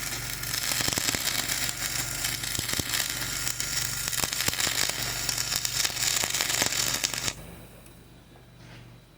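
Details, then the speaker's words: Dual-shield flux-core welding on outrigger pads, passing over a high, ropey stick weld, engine-drive welder one notch up on RPM: harsh irregular crackle and sizzle with uneven pops instead of a smooth fry; welder suspects the underlying stick weld. "Yeah, I don't like the way that's welding. I think really the biggest problem is just going over the like kind of ropey, high and ropey stick weld there."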